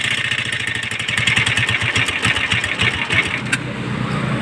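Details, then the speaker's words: Motorstar Star-X 125 pushrod single-cylinder bike idles with a loud, rapid metallic clatter that persists after tappet adjustment; the owner suspected rocker arms, but the fault is not in the top end, so the lower timing gear is to be checked. "pa rin mga boss ano so hindi dito sa taas Yung kanyang sira so ito- troubleshoot natin to mga boss ano ah bubuksan natin yung head yung black para makita natin yung timing gear"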